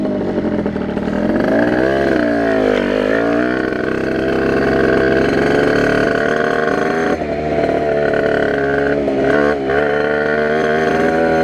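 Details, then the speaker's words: Tuned 80/85cc Rieju RR two-stroke moped on its first test ride, brand-new cylinder breaking in, carburettor not yet set up with the biggest jet, 4% oil mix: raspy revving with a blubbery edge; rider feels it's running rich. "it feels like it's running rich and awesome using 4% oil mixture just to make sure it's getting enough oil before they break in"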